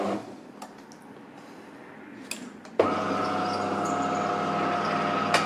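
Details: DeLonghi Magnifica S espresso machine: the motor cuts in with a harsh, uneven grinding groan and squeal as the brew unit travels; something in the drive is dragging. Lubrication or a part replacement is being considered; cause unconfirmed.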